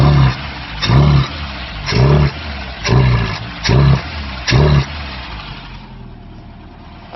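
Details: Ford Pinto-engined kit car with Weber 32/36 DGAV carburettor, six short throttle blips that never climb and fall back, bogging; low-pressure pump (about 3–4 psi) sending fuel back through a wrongly fitted return line, starving the carb; ignition timing also far out.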